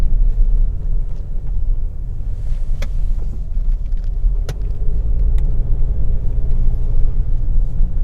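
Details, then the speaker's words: Mercedes GLE 250 driving after full suspension overhaul with new bush kits, ball joints and front shocks: only low even road rumble and tyre roar, no growl building with speed; earlier wheel bearing noise gone, bearings normal. "तो अभी वो आवाज़ नहीं है, यानी कि wheel bearing वाला issue जो था वो खत्म हो चुका है।"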